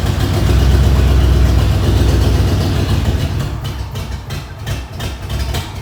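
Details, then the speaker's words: 1994 Ford F-150 with swapped-in Ford 302 V8, first cold start; heavy uneven idle with a quick light tick about four per second; owner suspects a loose exhaust manifold and an emissions part affecting idle. "well it started up uh sounds like i got to tighten up one of my exhaust manifolds over there"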